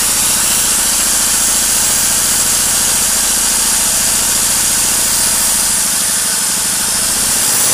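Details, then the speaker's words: Petrol generator that wouldn't start after long storage, after valve clearance set to 0.2 mm, WD-40 for carbon, and engine speed raised slightly via a screw. Runs steady and even under angle-grinder load with no surging; running normally under load. "вы можете видеть и слышать, всё работает безупречно. С помощью этого винта я немного увеличил обороты ."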